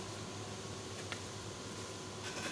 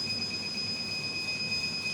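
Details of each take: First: Rack-mount 2000 W 48 V low-frequency off-grid inverter UPS without MPPT, AC priority mode, 1000 W heater load, grid outage simulated: steady low hum with fan whirr, even and unchanging. It switches automatically to inverter power without problems. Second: Rack-mount 2000 W 48 V low-frequency off-grid inverter UPS without MPPT, pre-shipment load test with load raised from 2300 to 2500 W: two piercing alarm tones over a hard-rushing fan. Overload protection switches the inverter off, and it restarts after a few seconds.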